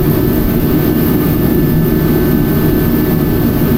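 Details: Mr. Heater Contractor Series forced-air heater (propane or diesel unit) just lit in a cold winter garage: deep steady roar with constant fan rush, no pulsing, sputter or misfire. Big heat, some flames poking out, may need adjusting. Burner and blower running normally.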